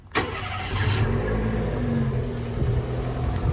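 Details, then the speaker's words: Kei car idling just after starting: a heavy, chuffing, diesel-like rumble, far louder than it should be. Owner suspects an exhaust manifold leak or gasket rather than the turbo; unconfirmed. "just listen to it how it sounds like a diesel right now this isn't even me popping the hood definitely should not be that loud"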